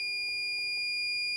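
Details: Insulation (hipot) tester testing a lithium button cell charger at about 3000–4000 V AC, 1 mA trip setting: steady high-pitched alarm tone as it trips after corona fizzing and buzzing.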